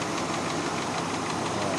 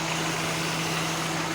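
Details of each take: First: Kia Pride carburetted engine with hard starting: rough, uneven idle with harsh hissy rattle and no steady beat; running poorly, cause not confirmed. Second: Kia Pride after carburetor tuning and tune-up for hard starting: short stretch of steady even idle with constant low hum, no misses or knocks; now running normally.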